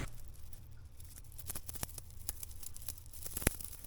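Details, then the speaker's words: Aventon Level 2 e-bike chain after cleaning in turps, a final acetone rinse and compressed-air drying, before waxing: loose, dry metallic chatter as the chain is shaken, showing the rollers are properly clean. "you can hear that chattering. That's what you want. That means it's ultra clean between all the rollers."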